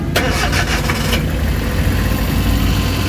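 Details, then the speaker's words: Suzuki DA64W turbo with high, erratic idle, after camshaft sensor replacement and battery-disconnect ECU reset: quick crank catches cleanly into a steady quiet idle, dashboard no longer blinking, rpm gauge normal; fixed. "Ayun, kita nyo yung andar, tahimik na. Tahimik na siya guys. Okay na yung tira natin."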